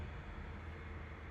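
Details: 1964 Mercury Marauder V8 with new Holley carburetor, new spark plugs and tune-up: deep, even rumble pulling cleanly under throttle; slight noise noted only at top of acceleration, possibly a valve seat.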